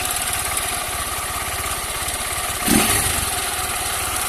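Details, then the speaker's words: Honda CG 160 Fan single-cylinder, 6,000 km, first cold start of the day: quick light metallic tapping over the exhaust beat that stops as oil circulates; owner suspects loose valve clearance; cold-idle tapping. "começa ele para e bate para e [Música] bate ó já tá parando já ó começou a lubrificar moto já tá parando mas ela só ela só fazia isso só na primeira partida do dia"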